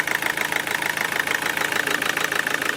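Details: Toyota D4D diesel idling after replacing four faulty injectors and camshaft-cover seals, injector codes programmed with a diagnostic tool: even diesel tick at roughly 200 per minute, no misses or knocks. Noise judged normal.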